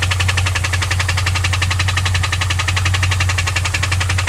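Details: 2001 WS6 LS1 5.7L V8 that ticked at high rpm, lost oil pressure shifting and was found with zero oil, now refilled: steady idle with fast, regular sharp tick, about two per second; cause unknown.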